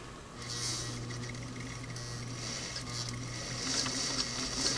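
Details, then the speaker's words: Singer Model 347 sewing machine, rotary hook repositioned after needle-to-hook adjustment, sewing paper: fast, uneven ticking with a thin high zing each stitch as needle passes the hook; owner suspects needle still striking hook point, plans further adjustment. "Oh, you know what? I really think I can still hear it. I'm getting the paper through there, but darned if I don't hear that zing right as it goes by that hook."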